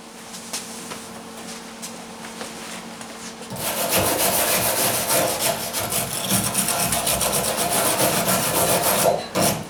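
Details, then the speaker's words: MIG welding on a 1977 Camaro Z28 deck lid/quarter panel area; harsh uneven hiss and spatter with no steady frying crackle, unstable arc; turning up current didn't help, cause unknown, though it still welds. "I don't know what makes the welder do that you hear it's not crackling like bacon it's just kind of turned up the current that didn't help I need to turn it in more I don't know I mean it is welding it's just sounds funny"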